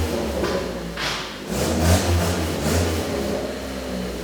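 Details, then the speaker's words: Toyota All-Trac engine revving after an exhaust fix routes all exhaust out the back: subdued, slightly tinny rasp at the tailpipe, much quieter inside the car; normal exhaust note. "i think now that it all comes out the back it stinks up the shop faster a little quieter it's definitely way quieter sitting in here oh yeah that is so much quieter in the car"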